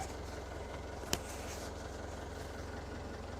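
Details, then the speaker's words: Diesel engine, fresh oil change, first start after sitting a long time, initially short on fuel: water from the exhaust, no smoke, good oil pressure, and a steady, even idle with no knocks or misses. Normal idle. "Sounds good, it's running good, started right up."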